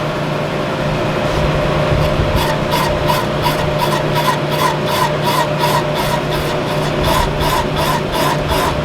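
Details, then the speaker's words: Boring a big-bore-kitted Honda 330R quad cylinder, first pass with the boring head after a 6-inch extension chattered: regular cutting ticks nearly three a second, even every revolution; cut is concentric, chatter being removed. "It sounds like I've got a good cut all the way around, so I know it's pretty concentric. It's cutting all that chatter out of there."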